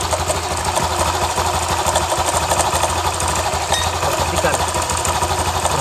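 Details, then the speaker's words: Honda Genio scooter idling after someone put sand in the oil hole and it was ridden a few days: irregular dry crackling ticking, about three per second, over the engine beat, between right and left engine; worn, loose crankshaft bearing is the cause. "jadi permasalahan motor ini di bagian lahar panggungnya yang kocak jadi suara itu yang diakibatkan dari lahar panggungnya"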